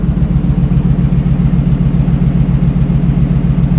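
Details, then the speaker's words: 1968 Bronco V8 on a base computer tune with new open exhaust, warming up with coolant at 187°F before the fan test: a deep, even burble with evenly spaced pulses, no misses; minor V-band exhaust leaks. "with the base tune that's on the computer starts idles sounds great the exhaust has worked well"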